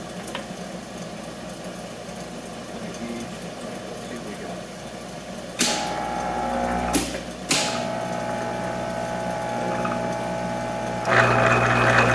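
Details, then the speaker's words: Monarch 10EE lathe after gear train work to reduce noise, running about 1000 rpm in feed setting: steady gear whir with regular tick about four per second and some loud knocks; substantially less noisy but problem not solved. "but definitely oh yeah that's substantially less noisy okay i didn't solve that problem so we're at a thousand rpms right now sounds pretty good"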